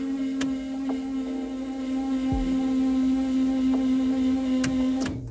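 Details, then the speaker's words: Ford P100 V6 pickup at key-on, battery just connected: steady electric fuel pump hum that keeps running well past the usual prime and never shuts off; the old pump proved dirty and badly worn. "я подключил же аккумулятор и сейчас буду проверять что будет когда я поверну ключ мы должны услышать насос почему-то на постоянку"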